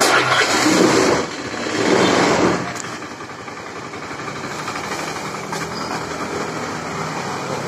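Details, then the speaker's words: Honda Scoopy FI that smokes white: it catches with a short burst, sags and stalls within seconds. Cause is a badly scored piston and cylinder plus very weak fuel pressure; the fix is replacing the piston. "oh iya nih suaranya juga nggak enak ya itu apotek ya malah mati lagi ini lagi ya langsung juga kematian tuh"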